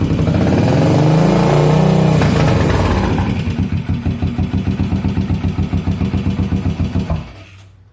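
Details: 1981 Yamaha SR500 single, recently bought, smoking, 115 psi compression after oil change, check ball/spring/gasket replacement and valve adjustment: after a rev blip, lumpy uneven faltering idle; cause unclear.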